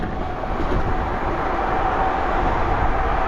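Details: BBS02 mid-drive e-bike motor after 72V damage and rotor repair, set to 2000 W max, riding in first gear around 22 mph: faint steady whine over rolling and wind noise, sounds like a healthy mid-drive pulling evenly.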